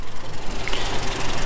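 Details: Renault Twingo 1.2 petrol, auction car, cold damp morning, under bonnet: low steady idle with even pulsing beat, no tapping or misfire; sounds well, though possible rocker cover gasket oil leak noted.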